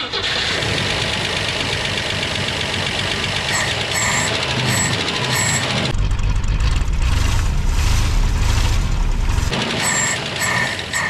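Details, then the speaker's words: 1964 Jeep Wagoneer engine newly got running, rough uneven idle with light fast ticking: lifter noise but no actual knocking, and it seems to run okay. "hear some lifter noise but I don't hear any actual knocking or anything that sounds like it's going to come apart"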